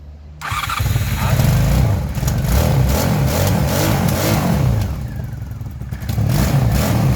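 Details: Honda Magna 750 motorcycle after starter motor brush replacement (oil had entered the motor via a poor seal): engine catches at once and runs with throttle blips, firing even and strong; healthy running.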